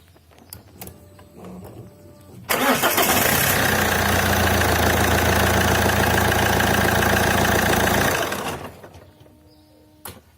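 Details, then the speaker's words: Alfa Romeo 156 diesel with a new dual-mass flywheel: cranks, idles with a steady clatter, then switched off and winds down evenly with no shudder or vibration while an engine part operates at shutdown; normal shutdown. "so i will turn on the engine and then i will switch it off and you will see this part here do its its thing"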